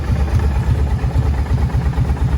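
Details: Kawasaki Brute Force ATV engine at steady warm idle after jet kit, valve adjustment, new carb boots and Dynatek CDI fixed lean backfiring and dying; low even thumping pulses, earlier ticking (owner suspected exhaust leak) no longer audible.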